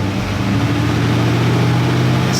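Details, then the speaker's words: Stock Chevy 350 small-block V8 with flat-top pistons, after replacing two burnt ignition wires and a dirty spark plug that caused vibration and hesitation; revving about 1,000–2,000 rpm, steady even drone without shudder or misfire: misfire fixed. "smooth. Okay, so it looks like I fixed that issue."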